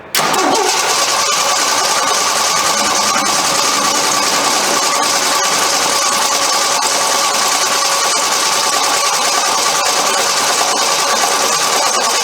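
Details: 1983 Jeep CJ5 just fitted with a new eBay Motorcraft 2100 carburetor, float bowls primed: steady starter cranking with a harsh whirr that never speeds up; engine turns over but doesn't fire; cause not confirmed.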